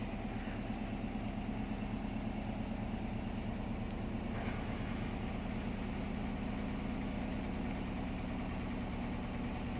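Heavy low drone with an uneven rhythmic thumping about three times a second through the spin; drum running badly out of balance.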